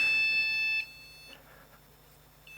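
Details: Supermicro C2SBC-Q motherboard after CMOS reset, powered with no RAM installed: steady high-pitched beep that cuts off and repeats after a pause; BIOS beep code for missing RAM.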